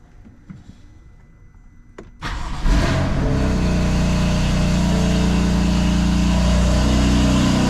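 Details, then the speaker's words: 2020 BMW F82 M4 with S55 engine at cold start and idle: a light, quick regular tick of about four per second from loose camshaft bolts on the exhaust side. The rattle fades when warm, while the constant injector tick remains. "I'll show you what the car sounds like when the car is warmed up because to my knowledge, it's that rattling sound is gone."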